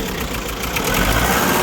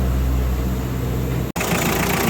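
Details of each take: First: Diesel Kia engine with chuffing noise, idling: rough uneven beat with irregular stumble; head gasket appears burnt between two cylinders, valve or hydraulic lifter also suspected. Misfire, possibly from burnt head gasket. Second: Kia engine from around 2006 after repair of a burnt cylinder head gasket that had caused ticking: steady, even idle with no ticking or knocking.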